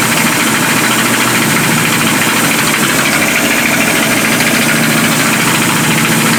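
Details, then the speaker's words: Abandoned 1976 Winnebago Brave engine first running after revival: runs steadily under heavy fan and hiss noise, no obvious knock or stumble; seems to be running okay. "yeah i'm sure the rings love that i think it sounds okay"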